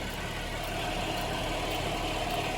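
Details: 2010 GMC Acadia GM 3.6 V6 after replacing timing chains, sprockets and VVT actuators, freshly refilled cooling system, idling: smooth, even idle with steady light ticking from new Bosch high-pressure fuel pump, no knock or rattle; healthy.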